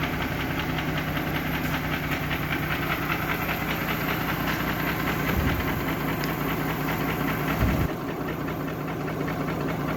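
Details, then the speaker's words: Mercedes G-Class (Gelik) with M104 3.2 petrol engine, 220 hp, after an oil change: rough, uneven idle with loose, irregular knocking two to three times a second; low compression, burnt piston in cylinder 1, melted catalytic converter; source unknown. "Так ну и вот буду поменяли масло и что-то застучала в двигателе Сейчас я покажу все услышите буду снимать ГБЦ залазить двигатель смотреть что с ним случилось и что там уже что там могло застучать"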